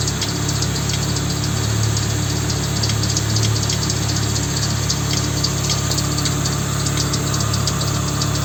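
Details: Volvo 850 at idle: a faint ticking knock of about three a second over a steady hum; an engine knock of unknown cause.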